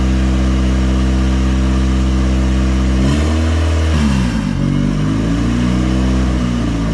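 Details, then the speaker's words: Turbocharged Honda Civic engine just rebuilt from a used motor, first run, cooling not yet connected: steady deep idle, quick blip that drops back and settles evenly, no misfire or stumble; normal running. "oh my god as the best sound i've heard in a long time it feels like finally a good running motor put together by me"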